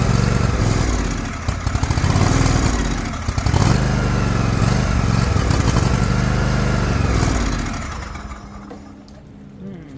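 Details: Liquid-cooled Kawasaki twin, John Deere LX178 mower, air cleaner refitted, run in rain to pick up fuel: low putter surging and sagging unevenly, stumbling then dying; fuel issue, carburetor suspected, fuel filter change planned.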